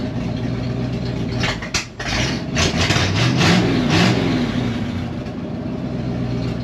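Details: 1971 Ford wrecker, Ford 360 FE V8 on open headers, choke on: revved up and settling with a choke-rich burble and raspy puffing chuffing from leaking exhaust joints.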